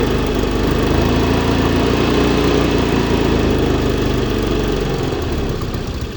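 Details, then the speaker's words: Zip 125 scooter with hard starting: rough idle rising and falling and sagging as if to stall (hunting idle). Spark was checked OK; cause is an intake air leak at the fiber/intake. "Ang problema lang sa kanya taas baba ang menor tsaka ano papatay-patay hard start."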